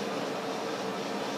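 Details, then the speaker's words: Monarch 60-inch T-lathe, model T-48, headstock at high spindle speed: an even, steady whir with no gear whine, knocking or rattle; very quiet and healthy. "you saw a low speed a medium speed and a high speed I mean essentially you can hear it's very very quiet no gear noise"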